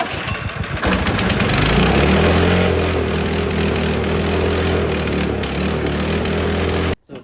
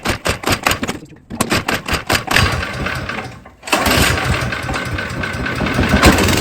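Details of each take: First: Snow blower stored all spring and summer with ethanol gas, carb filled with cleaner via primer bulb fuel line: catches, runs rough and uneven about six seconds, then dies; fuel starvation, something still clogged in carburetor. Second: Snow blower small engine that sat all spring and summer on ethanol gas and wouldn't start; gas already changed, carburetor cleaned. A few sharp cranking pulls, a pause, then it fires and settles into a steady, even run with no sputtering; normal running after carb cleaning.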